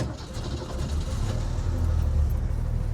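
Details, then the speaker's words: 1967 Ford Mustang convertible six-cylinder with dual exhaust, started after a pump or two of the pedal; fires right up, deep steady low rumble settling into an even idle, no misses. Healthy cold start. "fires right up I'll go ahead and walk you around so you can hear that dual exhaust a dual exhaust does sound really good"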